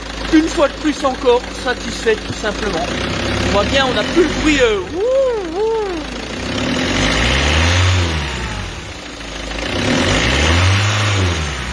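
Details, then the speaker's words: Peugeot 206 2.0 HDi 90, fully reassembled after timing belt tension correction, revved as at the start: smooth rev rises with even diesel clatter; the faint hiss is the HP pump building pressure, no belt whine; normal. "et là on peut analyser proprement le bruit moteur qui est à la perfection regardez un petit peu on va accélérer dans les mêmes conditions de ce qu'on a fait au tout début de la vidéo"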